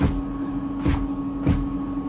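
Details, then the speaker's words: Siccario Cinelifter frame with 8x BH2812 v3 motors, 2x HW60a ESCs, HQ 8x4.5x3 props, Betaflight 4.2.8, on the bench: a deep ringing thrum each time the arm is plucked, about every 0.6 s. It is a low-frequency frame arm resonance too low to filter out. "it's always that sort of same really low frequency so that you've just got no opportunity of uh no opportunity of tuning out with filtering because it's so low"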